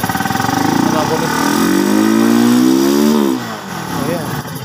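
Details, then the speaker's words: Honda TMX Supremo single-cylinder motorcycle after carburetor cleaning, a new air filter and a new spark plug (diaphragm intact): it revs steadily, then suddenly cuts out. A loose ignition switch causes the stalling. "good na po siya kaso naglo-load po ang kanyang susian Ayan oh start uli natin yan"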